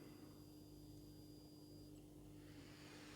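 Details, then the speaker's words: 50×50×15 mm blower fan for a smoke generator that previously only squeaked and wouldn't start; after adding a capacitor across the terminals it spins up instantly to about 4800 rpm with a steady high whir, held near the microphone, running normally. "турбинка закрутилась просто моментально и на больших оборотах то есть 4800 оборотов он крутит то есть слышно как он работает вот я подношу к микрофону то есть турбинка прям нормально работает"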